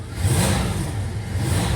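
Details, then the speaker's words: 2000 Dodge Durango that stalls once warm, owner suspects corroded computer connectors: low rumble with an uneven, lumpy pulse that never smooths out, check engine light on; cause not confirmed. Rough running engine. "Let's start this thing up and see see what it sounds like. Sounds to me like it's not running that smoothly."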